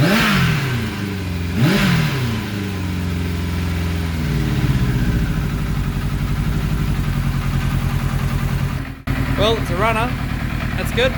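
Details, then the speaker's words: 1991 Kawasaki ZXR750 with twin Toyota Supra turbos and aftermarket ECU, first run after swapping coil igniter wires that fired 180° out: lumpy, uneven running through light blips, never smooth; plugs came out super black, running rich. "Ripped the plugs out cuz it still sounded horrible. Super black. She's rich as."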